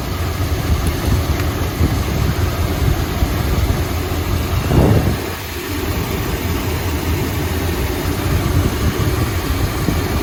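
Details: 1972 Chrysler Imperial LeBaron 440 V8, hot, idling smoothly after reconnecting number 7 plug wire that had been hanging loose; steady, even low rumble, no stumble; about 19.25–19.5 inches of vacuum, engine happy.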